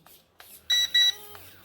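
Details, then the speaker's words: 3-channel BF-109 RC warbird transmitter: two short, high, clean beeps a moment apart over a quiet room; the transmitter is warning that its batteries lack enough power. "transmitter is beeping that means uh the battery does not have enough power in the transmitter"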